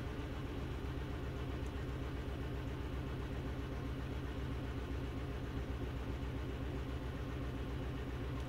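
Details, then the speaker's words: 2012 VW Jetta GL 2.0L, codes P0300/P0301, raw fuel smell, flashing check light: lumpy idle stumbling and shaking from cylinder 1 misfire, louder with higher rpm. "the vehicle does sound and it's starting to smell like raw fuel or like a misfire on either one or more cylinders"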